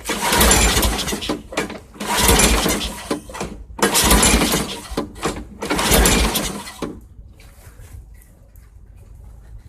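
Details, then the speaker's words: 2006 Craftsman 917.376160 push mower pulled from a junk pile, with thin, gasoline-smelling oil and carb cleaner sprayed into the intake: four loud, rough bursts about two seconds apart, each dying without settling into a run. Owner suspects the carburetor is toast. "I think I heard it bark a little I believe that engine would run because it barked off a couple of times I'm sure the Currier is probably toast"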